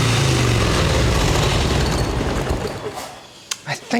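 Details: 1989 Harley Ultra Classic Tour Glide Evo, butterfly carb, warming up off choke; even thumping at first, then the beat sags, stumbles and fades as it dies; owner suspects idle setting needs turning up, cause unconfirmed.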